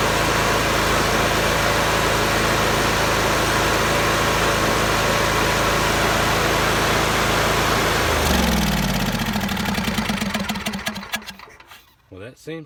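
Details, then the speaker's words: John Deere mower after new spark plugs and cleaned coils and magnets, cover off: steady, even engine note with no popping or misses, then a clean wind-down at shutoff; the popping is fixed. "have fixed it and don't pop anymore"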